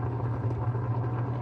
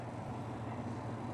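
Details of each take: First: White Westinghouse 12 kg twin-tub washing machine, wash motor powered: steady low hum without turning, only spins when turned by hand; no reverse, wash timer also faulty; motor fails to start. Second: White Westinghouse 12 kg twin-tub washing machine spin dryer tested, giving a steady even low hum, working normally. Only the wash side is faulty: it hums with no reverse and has a broken wash timer.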